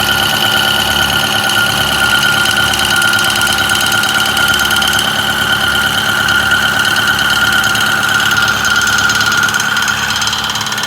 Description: 6.4 Powerstroke rattle noise idle and 1200 rpm